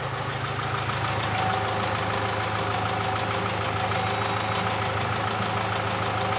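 Engine running with a loose, irregular knock around three per second under the steady drone; cause not determined.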